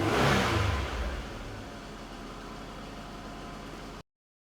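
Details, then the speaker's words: 1984 Datsun 300ZX Turbo, 3.0L turbocharged V6, 91,625 original miles, automatic overdrive, recorded under the hood: short rev falling back to an even, smooth idle with no knocks or rattles; engine running normally. "we'll start this motor up and let you hear what that 3.0 L turbocharged V6 sounds like on this vehicle"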